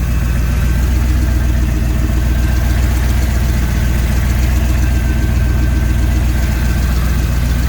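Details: Normal idle: a turbo EFI Ford 460 V8, run after new valve covers with AN-line PCV, a catch can and an oil-leak fix, shows no leaks and a deep, steady, lumpy idle with an even beat. Afterwards a passenger-side 60mm wastegate dump is found leaking vacuum.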